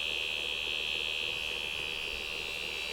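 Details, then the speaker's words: PhonoTrix tape recorder after lubrication and flange adjustment: a steady, high-pitched buzz with a fast flutter of about four beats a second runs through playback of one tape side; cause unknown. "it doesn't seem like we got much on this thing it may be a very disappointing tape after all we just got buzzing noise the whole time apparently I don't know why"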